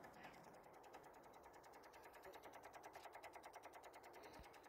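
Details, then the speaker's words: Infiniti G35 sedan with a recurring no-start, engine off, just after the battery was reconnected: fast, even, light clicking from the battery area; owner suspects something is drawing current from the battery. "yeah I don't I don't like how that sounds man that's something's drawing a current something's drawing a current um from the battery"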